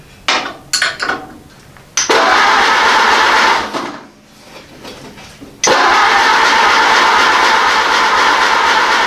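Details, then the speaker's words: Ford AA Doodlebug engine, gravity-fed gas into the carburetor, choke pulled, a little throttle: short cranking bursts, then longer steady churning that never catches. Cranks but won't start; owner suspects carburetor issues. "this wants to go we got carburetor issues now"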